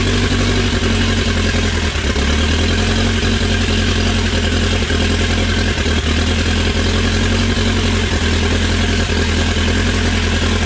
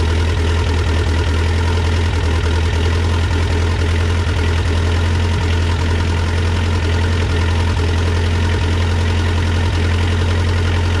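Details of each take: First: Dodge Raider/Montero with rebuilt 4D55T diesel, first start after rebuild for low compression and fuel system bleeding; even, steady idle with firm low beat and no stumble or knock; runs well despite slightly leaking injectors and a cracked injector line. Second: Cold start, about 40–45°F, on a rebuilt Mitsubishi 4D55T diesel in a Dodge Raider/Montero: deep uneven idle with occasional stumbles. It started fairly easily but still misfires slightly from air in the fuel lines, caused by slightly leaking injectors (notably 2 and 3).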